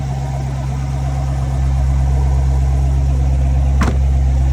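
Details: Chevrolet Corvette C7 (2014–2019), manual, after no-crank no-start fixed by replacing a bad starter: deep, steady idle with smooth even rumble firming slightly after start; healthy running.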